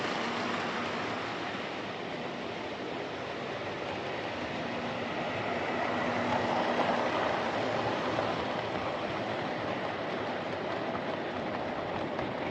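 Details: Old Lima Class 31 model locomotive in freight livery, overhauled (extra pickup added on front bogie), running round the layout: smooth, even whir at one steady pitch and speed, no stutter, dropouts or pickup issues; normal running.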